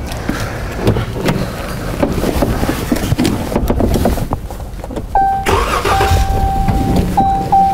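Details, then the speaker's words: 2018 Chrysler 300 with hard start, code P0339 intermittent crank sensor, sensor replaced twice: long uneven cranking about five seconds before catching and settling; scope shows missing coil fires. "crank this engine over and capture the data during the hard start condition so i can try to understand what's causing that failure"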